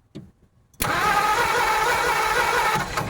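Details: 1950 Ford F1 truck: after silence, the starter spins the engine in a steady, even whir for about two seconds but it never fires. The distributor points appear to be sparking. Crank, no start.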